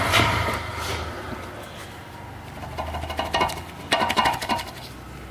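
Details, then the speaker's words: 2017 Jeep Compass turbo diesel, 80,000 km: shock absorber removed and shaken, loose metallic clatter in bursts like a loose can; play in the rod and internal components; noise on passenger right side over bumps. "esse carro tá com barulho na suspensão esse carro tá com 80.000 km ele faz um barulho de Ferro batendo tipo uma lata solta certo"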